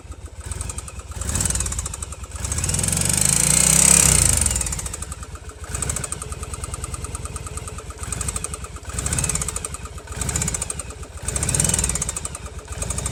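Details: Yamaha Virago 750 V-twin: rapid, fairly regular knocking over the idle, swelling as the engine is blipped; engine knock of unclear cause.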